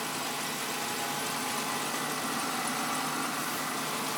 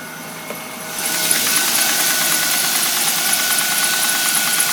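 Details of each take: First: Engine warm-up whistle, heard only through the closed hood and not with it open: warm-up idle has now dropped and the whistle is gone, leaving an even, steady, quiet idle hum; normal idle. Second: Engine at fast warm-up idle, heard through the closed hood, not audible with it open: thin high steady whistle that disappears once warm-up revs drop, then runs quiet.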